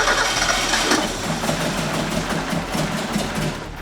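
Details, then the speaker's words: Mazda Miata NA 1.6 with new ISR turbo kit: engine catches, runs rough and uneven, never settles, then fades and stalls; won't idle despite tune changes and new spark plugs. "the car will absolutely not idle no matter what we do we've changed just about every setting in the tune changed out the spark plugs"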